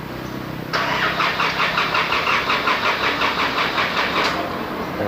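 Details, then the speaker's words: Isuzu D-Max (80,000 km) on first start after its engine was rebuilt and refitted. The starter grinds about three seconds with sluggish pulses and no catch. The battery is too weak; it needed a jump start. "ขอฟังเสียงแล้วแบบน่าจะเริ่มอ่อนนะครับแบบไม่น่าพอเดี๋ยวเราให้ทีมงานหาแบตเตอรี่เราพวกนะครับ"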